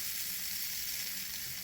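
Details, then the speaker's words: Old childhood Lima/Hornby diesel shunter model train motor, bench-tested with clips straight onto the motor from a Hornby controller: steady, even high fizzing buzz, running slowly and both directions, no catches or rattles; runs fine, needs only cleaning and lube. "and as you can hear, it's running. It's running pretty slowly at the moment, so that's a good sign."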